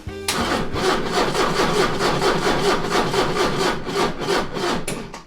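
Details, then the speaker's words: 40-year-old Porsche 944 cranking steadily at about three compression beats a second but never catching. "That doesn't sound great."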